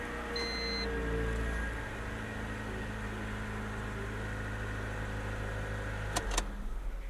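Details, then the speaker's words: 1999 Honda Civic EK hatchback just after new timing belt, water pump, tensioner, coolant, spark plugs and valve adjustment: low, even hum at idle with no knocks or misses; smooth, healthy idle. "that sounds really good, buddy. Yeah, it does."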